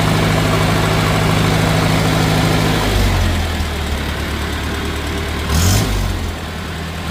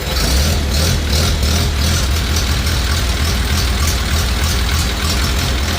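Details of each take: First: 1950 Farmall Cub on its first startup after an engine rebuild with pop-up pistons: a light, fast tick-tick over idle quickens with throttle blips. Two loose exhaust manifold bolts were leaking, and tightening them cured it. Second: 1950 Farmall Cub tractor after engine rebuild with pop-up pistons, new magneto and on-off switch: steady even low putter, no knocks, misses or smoke; quiet, healthy normal idle.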